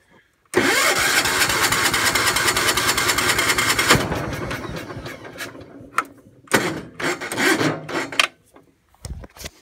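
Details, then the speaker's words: Gravely 432 with rebuilt Kohler K321, carb cleaner sprayed, possibly flooded: about three seconds of fast rattly cranking then short stabs that never catch; owner suspects no spark or dirty points, also fights the ring gear. "probably has no spark if it won't go off the carb cleaner probably got no spark probably the points need to be cleaned or something this should have went by now"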